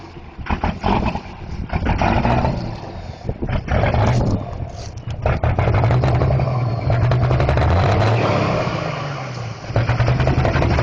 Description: daves truck with a bad injector, but it sounds bad ass lol.